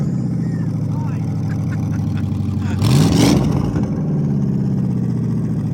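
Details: Crown Vic V8 after bad coil packs and old plugs replaced to cure misfires, junkyard transmission swapped; deep steady idle burble swells cleanly through a quick rev and settles back, all cylinders firing evenly.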